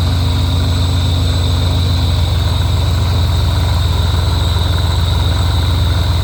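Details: Rotrex supercharger at idle: steady, high whine and a fainter mid-pitched tone over an even, low idle rumble; owner unsure whether the noise is normal or a fault.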